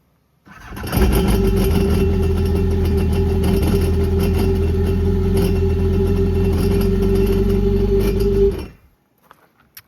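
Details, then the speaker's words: Honda Aquatrax R-12X jet ski with 300 hours, run during a pre-purchase check: the engine runs steadily with a low pulse and a slight rhythmic looseness. Play in the impeller or drive shaft is suspected, not confirmed. Drivetrain play noise. "So, if you could hear that has a little bit play in the probably impeller or drive shaft. Um, but she does purr."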